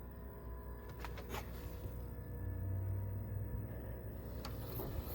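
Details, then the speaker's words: Trane TAM7 air handler after rewiring W1 to Y1 for cooling and replacing failed power controller: low steady blower hum with soft hiss of refrigerant flowing; running normally. "and you hear the refrigerant flowing and our blowers on"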